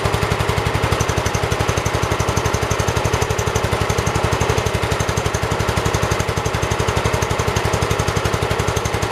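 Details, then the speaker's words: 1978 Kohler K341 on a 316K tractor, freshly rebuilt with new rings, first run: even, steady single-cylinder thumping at about three beats a second with no misses or knocks; early smoke thought to be two-stroke oil burning off. Runs well. "man it runs really good though i'm gonna be quiet so you guys can listen to it"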